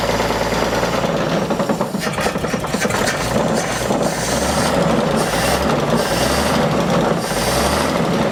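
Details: 1950 Chevrolet short bed truck abandoned decades, first start after long sitting with accelerator held: loud, rough but steady idle with even beat and no knock rising above it; old engine running, though a knock was heard earlier.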